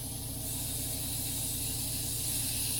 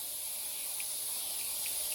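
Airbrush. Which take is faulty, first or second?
second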